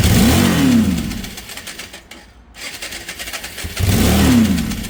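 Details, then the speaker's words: Cheap auction Yamaha motorbike, a non-runner whose no-spark fault was fixed, before a carburettor and fuel line clean: the engine catches and revs briefly, dies, then flares again without settling. Almost starts but won't keep running. "we got some almost starts out of this bike which we'll take a look at"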